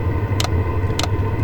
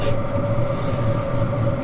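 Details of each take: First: Chinese diesel heater at Rocky Mountain National Park in a blizzard, needing several tries to light; low rumble with sharp fuel-pump clicks about every half second, exhaust flowing, starting to fire; owner suspects altitude affecting air-fuel ratio. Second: Chinese diesel heater at altitude in Rocky Mountain National Park, now lit; even steady drone with low hum and constant mid tone, no surging or misfire; normal running.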